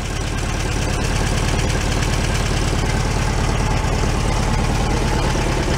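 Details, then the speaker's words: 1978/79 VW Super Beetle convertible, fuel-injected flat-four after oil leak repair, warmed up a couple of minutes: low steady putter about three beats a second with no knocks or misses, no oil dripping; normal idle. "you let it warm up a little bit they'll be evened out it's been a couple of minutes definitely sounds a lot better than before"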